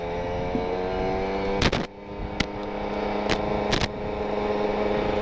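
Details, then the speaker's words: Kawasaki Ninja RR two-stroke, PWK28 carburetor with pilot jet 42 and main jet 132, R9 Neo Mugello carbon exhaust, riding: steady high wail held near 7000 rpm with soft, slightly blubbery edge; rich ("wet") jetting still rich up top but pulls well. "cukup dengerin aja dari suara motornya ya mudah-mudahan kedengeran Nih jelas nih 7.000 RPM 7000 ya ini masih basah sampai ditarik enak teman-teman"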